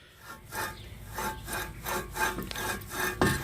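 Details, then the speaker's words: 2004 Ford Explorer rear wheel bearing, removed and rusted, turned by hand with rough, gritty uneven rasping; bearing is shot, nearly locked up and hard to turn. "Hear that? Bearing is shot. It's almost locked up. It's so hard to turn."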